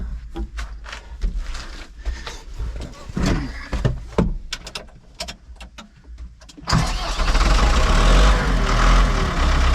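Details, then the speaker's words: Ford 6610 diesel tractor started on a Bosch battery (1000 cranking amps, 170Ah) with excess fuel: uneven cranking for about six seconds, then it catches cleanly and settles to a steady, even run; healthy crank and start. "Right, so that actually fired up, no problem."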